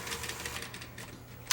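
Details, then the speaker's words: Sony EDV7300 ED Betamax recorder, bought broken, after repairing the loading mechanism using a part from a sacrificial mono Beta machine: quiet motor hum, quick run of light clicks and a final snap as the tape loading cycle completes cleanly; normal loading now working. "I'll try powering it up and see if it goes through the loading cycle properly. Yep. And now it's working."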